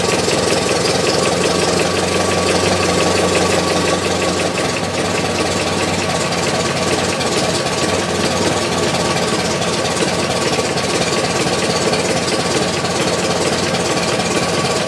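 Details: 1919 Ford Model T Speedster, under 1000 miles since engine rebuild, idling, recorded inside the firewall: loose irregular knocking through the low chug; also heard accelerating or cruising, owner unsure it comes from the engine's rear.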